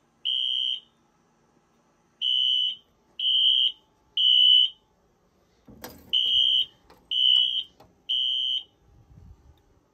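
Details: 2000s Wheelock AS/NS horns on a Fire-Lite MS-9200UDLS addressable panel with Wheelock sync, during a system test. High shrill blasts in groups of three with a pause between groups. Temporal-3 evacuation pattern.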